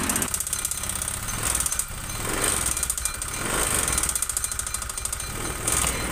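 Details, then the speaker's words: Honda Vario 125 fuel-injected scooter with white exhaust smoke and late oil changes, CVT unloaded without front pulley: harsh, rattly clatter rising and falling with revs persists; worn piston/rings suspected, or cam chain tension. "diperhatikan suaranya ketika bagian CVT tanpa rumah roller suaranya itu masih utuh masih utuh kasar seperti ini ya ini berarti fix yang bermasalah di bagian mesin tengahnya bisa dari sehernya atau pistonnya"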